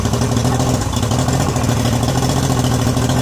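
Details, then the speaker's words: Yamaha 90 hp two-stroke outboard just rebuilt (new pistons, rebuilt carbs), idle being adjusted after the carbs were off: a steady, smooth low idle with no knocks or misses, idling a little too low. "Idling down just a little bit too low."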